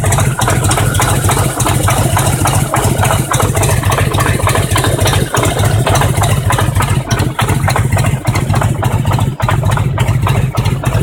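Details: Harley-Davidson Road King Twin Cam 88 at around 50k miles, idling: loping V-twin beat with a sharp, irregular engine knock.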